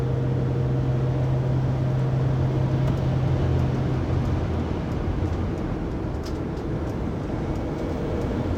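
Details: 2020 Pleasure Way Plateau FL on 2019 Sprinter 3500XD at 80-90 km/h, in cabin by phone: steady loud low whine droning over road noise, persisting after driveshaft and differential replacement, recorded December 1, 2019.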